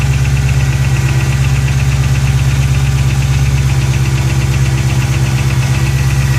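Steady idle with a light, regular tick riding over the engine, close to three a second; cold-start ticking, cause unknown.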